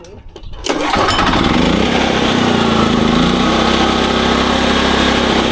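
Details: SDMO 5000W generator, Briggs & Stratton engine (about 18 hp, 296 cc), before repair: engine pulls over, fires and settles to a steady even buzz, running fine, but output only about 4 V on 120 and 240; previous owner suspected a blown alternator.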